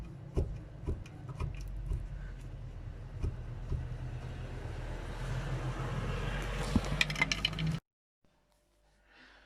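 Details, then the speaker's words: Roughly 15-year-old 2000–2006 Honda Civic front ball joint, wheel rocked by hand before replacement: sharp irregular clicks and clunks from play in the worn ball joint. "you can definitely feel movement there see if we can get close up and show you all right i'm going to try and get a good view of the ball joint"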